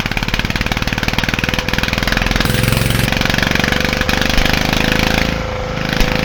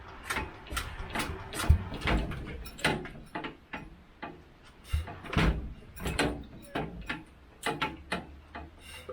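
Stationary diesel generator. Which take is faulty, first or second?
second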